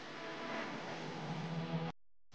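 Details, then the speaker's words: Electric fan after repair: steady, smooth motor hum with no scraping, spinning freely. Before the fix it only hummed and would not turn because the motor was tight and dry; it was oiled, keeping oil off the windings. "umiikot na siya ohan na siyang umiikot"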